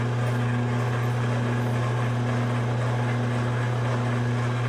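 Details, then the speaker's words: Large bevel gears on hobbing spindle at 45 rpm, mounting distance set to 2.42 (about 8 thou over design) with slight lash, light finger load: smooth steady low hum, no clatter or grinding; original mounting distance was too small, shimming planned. "can't really hear that so that actually sounds quite a bit better which to me means that I had the mounting distance set a little too small"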